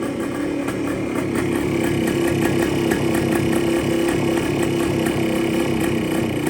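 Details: 1973 Kawasaki F7 175 two-stroke, barn-stored since the mid-80s, with an air leak suspected at a loose-fitting seal: crisp, steady ring-ding at constant idle, no top-end rattles or tapping; idles cleanly.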